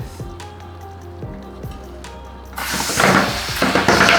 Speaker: So you want to hear the popping sounds. That means it's seated, but you always got to double check if it's seated right, because it could be like an egg in the tire, so to say.